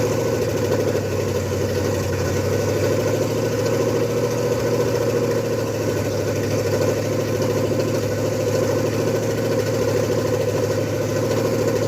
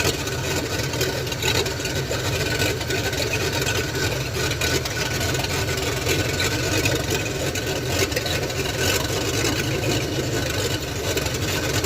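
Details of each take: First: Ford F100 with 302 and Comp 268H cam during cam break-in: fast even ticking knock in step with engine speed over a rough idle; valve train knock, found to be valves adjusted wrong (lifter first suspected). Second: Ford F100 302 with Comp 268H cam, after cam break-in on open headers: even steady idle with raspy but uniform open-header roar, no misses or ticking; healthy normal idle.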